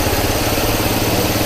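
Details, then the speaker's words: Toyota Corolla petrol engine at idle with no check engine light: lumpy, uneven low beat from a misfire attributed to a weak ignition coil. "जैसा कि आपने देखा कि गाड़ी में कोई चेक लाइट नहीं आ रही और गाड़ी मिसिंग कर रही है।"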